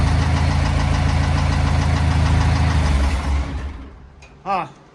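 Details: Rebuilt Kubota V2203 diesel repowering CL45 skid steer, first run: steady knocking rattle about three and a half per second until shutdown; owner suspects bearing damage from long cranking, unconfirmed.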